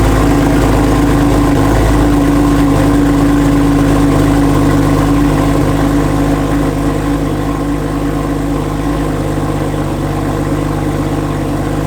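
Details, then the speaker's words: Heavily modified Porsche 911 with straight-pipe exhaust, after all new spark plugs and swapped ignition coils: loud deep idle with uneven, lumpy pulse about three beats a second; cylinder 5 still misfiring, cause unknown. "Still has a misfire cylinder 5 and all new spark plugs and everything, so now I'm kind of like curious to see what's to happen."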